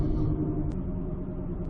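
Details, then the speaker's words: 2006 Ford Escape Hybrid after swapping a used wheel bearing, driving: steady low hum under road rumble at cruising speed, rising with speed, no knock or grind; not a wheel bearing or brakes, owner suspects carrier bearing, unconfirmed. "don't know i thought it was a bearing just like everybody else thinks it's a bearing but it's not a bearing see it picks up as you drown out"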